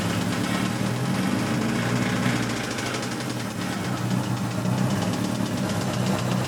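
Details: 1986 Toyota MR2 AW11 salvage-yard parts car: rapid, even knocking about four per second, constant over the idle; bad rod knock, engine declared toast.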